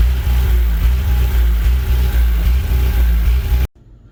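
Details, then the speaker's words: GM 3.0-litre four-cylinder engine on a 35 kW Briggs and Stratton generator idling low and lumpy, stumbling about four times a second like a missing cylinder; rough only at cold start, smooth after restart; later traced to the computer control panel board. "so you can see from the video that it's running really rough on idle and the thing about it is uh it's interesting it's it's when it starts up it's very rough and i think it's when it's cold that's the problem"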